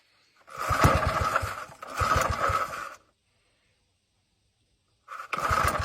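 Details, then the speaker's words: Older Briggs & Stratton 3 hp engine with gear reduction, found in scrap, run on starting spray with the carb likely gummed and pump diaphragm suspect: short bursts of even, buzzing firing, no knocking or rattles; runs fine. "Otherwise, I think it's going to be a good running little engine. It didn't hear any knocking, didn't hear any bad stuff."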